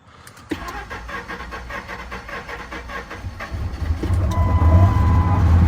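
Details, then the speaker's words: Towed-in Harley-Davidson F-150 V8 before coil, plug and MAF work. It cranks about four beats a second and catches around three seconds in, then runs lumpy, shaking and barely idling: hard start and rough running. "let's fire it up so you can hear it yes it's rough guys"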